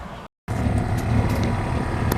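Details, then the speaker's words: 1999 Lincoln Navigator rear air suspension after fitting a new, deflated air spring: steady electric motor hum at constant pitch as the compressor cycles to fill the new bag; normal compressor operation. "as you can hear it's cycling feeling up the air system another bag had air in it but this one being deflated being that it was a new bag"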